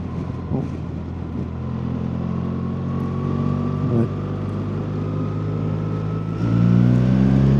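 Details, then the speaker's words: 2025 BMW R 1300 RT boxer while riding: a steady mid-pitch whine rising slightly with engine speed over the engine rumble; the rider attributes it to the cam/valve chain. "You can you can hear that wine. That's the the valve chain. The guides. It's the chain is that whining noise. That is annoying."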